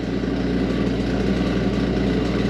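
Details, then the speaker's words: Ice machine in harvest mode, cover off: the small air assist pump runs with a loud, rough, uneven buzzing hum; worn out ("roached"), though the machine should still harvest without it. "So, I just went into harvest and the air assist pump is roached. You can hear it. I got the cover off. So, there's a little air pump in there. It sounds terrible."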